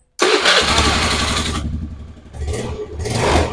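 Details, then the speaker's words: Honda Beat carburetor scooter, after fitting a battery: brisk, strong cranking catches almost at once into a steady run with a couple of clean revs; starting back to normal. "ini tinggal berikan aki sudah normal lagi"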